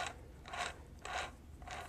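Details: Rebuilt 1970 Bridgestone DT 175cc transmission switched to rotary shifting and stepped by hand the same direction through first to fourth gear: four crisp ratcheting clicks about half a second apart. The detents index cleanly; the next click returns to neutral.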